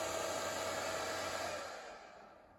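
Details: Nankadf (Wanptek twin) 120 V 3 A bench power supply, 96 W max: a loud hissy fan rush with a thin whine that spins down and fades; noisy cooling fan that cycles on and off, a defect the owner will try to fix.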